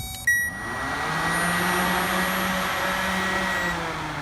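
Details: Radiator/condenser cooling fan motor from a 2004 Honda Accord, bench-tested with a Power Probe III on the battery: a short click and tester beep, then the fan spins up to a smooth, steady whir, showing the motor works.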